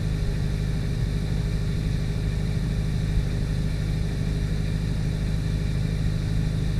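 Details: 2004 Ford Focus SVT engine bay on a cold start: rough, loosely repeating knock about two and a half per second at idle. Owner suspects a bad rod bearing, possibly an accessory pulley bearing; unconfirmed.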